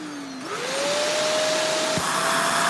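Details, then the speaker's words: Vacuum cleaner after clearing a clog in the slot opening: motor spins up to a clean steady whine with strong even airflow; suction good, clog fixed. "So, I just looked I just peaked in here. There's nothing in there. We fixed this problem."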